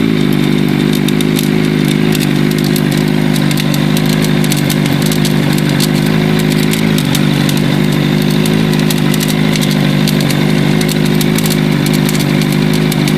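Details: Katana idling with an even hum plus light, uneven metallic ticking and rattling on top. Something is loose, but the source isn't clear.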